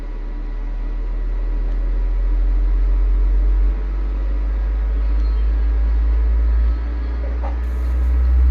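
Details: Ashley LF18 V400 18-inch subwoofer after blown-coil replacement with new 2-saff voice coil, frequency test from about 20–25 Hz: deep steady low hum with clean level steps, no buzzing or scraping; driver sounds healthy.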